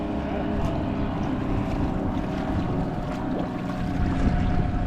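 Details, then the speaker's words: Rebuilt 1976 Mercury 650XS race outboard on a 13 ft Delta T850 boat, first run after sitting 20 years: winds out right away with a steady, crisp, evenly firing two-stroke buzz. Healthy and smooth, though said to be boggy at low rpm. "Starts winding it out right away. Sounds smooth. Sounds good."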